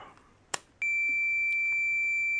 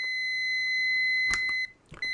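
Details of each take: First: Fluke 10 multimeter on continuity beep-test for automotive fuse testing, decade box at zero: after a click, a clean steady high beep lasts about three seconds and fades. It reads the test-lead resistance as continuity. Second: Multimeter continuity beep-test for automotive blade fuses, test leads reading 4.2 ohms: a steady high beep at 20 ohms lasts over 1.5 seconds, then briefly drops out. The beep threshold is roughly 50 ohms at 9 volts, so a beep only means under 50 ohms.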